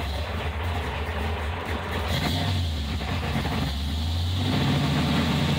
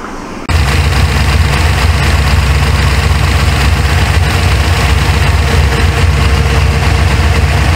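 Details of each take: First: 1977 Chevrolet Corvette C3 with 383 stroker and 5-speed Tremec; revs climb and sag unevenly with lumpy choked note, engine loading up; fueling likely needs adjusting. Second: 1977 Corvette C3 L82 with 383 stroker and 5-speed Tremec, after setting ignition timing with a timing light (timing had been way too high); deep steady V8 idle with even lope, no misses or knocks, sounds much better.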